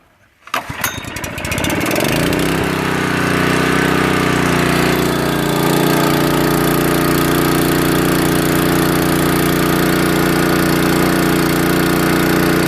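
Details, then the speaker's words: Honda water pump engine restored from seized, water-damaged state, carburetor cleaned and finally adjusted: catches within a second and settles into a smooth, even hum with steady pitch; normal running. "so it's all finished now i did the final adjustments in the carburetor now she's running very well"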